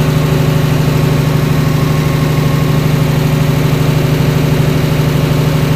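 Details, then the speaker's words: DC-control diesel genset with an actuator replacing the solenoid, idling at start-up while the speed controller awaits the MPU signal; low, even thrum at slow steady idle, no misfire or knock; normal slow idle. "Ya, teman-teman, jadi lihat ya, dengar ya tadi ya, hidupnya itu agak lambat dulu ya. Jadi seperti idle dulu karena dia speed control di sini ini butuh sinyal dari MPU ya,"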